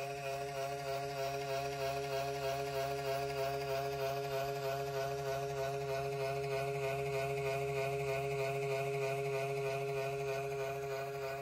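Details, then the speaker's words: 2005 AL Car Audio APC602 amplifier at power-up: a steady droning hum that wavers about three times a second without settling; the cooling fan sounds worn and dying, a suspected failing fan. "but um I wanted you guys to hear this fan when you power it up take a listen to this"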